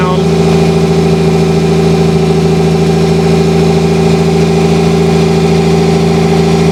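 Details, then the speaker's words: 1987 Toyota Supra with 2JZ-GE and T70 turbo, first run after sitting two years; smooth, even idle slightly high, cause unknown, possible vacuum leaks, slight hesitation while stock ECU relearns fuel trims. "It's running pretty smooth. The idle's a little high. Not sure why."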